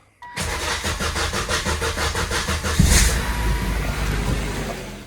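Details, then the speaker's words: 2002 Volvo XC70 2.4 turbo, long crank since a timing job: starter churns at an even rapid beat about two and a half seconds before catching; cam sensor code, mangled welded cam sensor aperture ring found, before replacing ring and sensor housing. "It's got a long crank time. Sometimes it starts faster, but ever since I did the timing job, it cranks a few times for very long before it starts."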